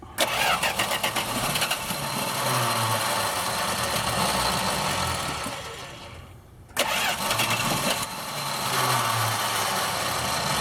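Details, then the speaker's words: Dodge drag truck, started without a jump on its battery: a long chugging crank dies down, then a second crank catches and rumbles to a rough idle. It is a hard start, slightly flooded by too much gas. "Flooded a little bit, too much gas came out of there, but we got her."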